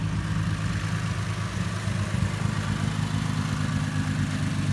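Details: 2009 Lexus IS 250 with a crank-no-start or start-and-stall complaint traced to an aftermarket mass airflow sensor: low, steady idle rumble with no stumbles, misses or surging; normal idle.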